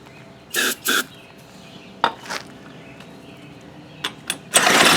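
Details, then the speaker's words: Baja Doodle Bug mini bike, abandoned non-runner with a carb issue, pulled over on a shot of brake cleaner; a few sharp pops then the small engine catches with a loud rasp: fires on starting fluid, so it has spark. "oh oh did you hear it she fires well we have sparkage"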